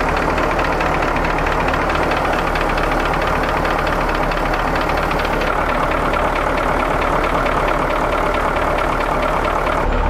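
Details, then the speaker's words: Mike Finnegan's big diesel ramp truck after oil service and fuel bleeding: rough, loud idle with an irregular ticking knock about twice a second; possibly a weak injector or air in fuel, easing as it runs. "at least that's what aaron diagnosed that ticking as um as it came off of idle any kind of rev that would go away so he said it sounds like a weak injector"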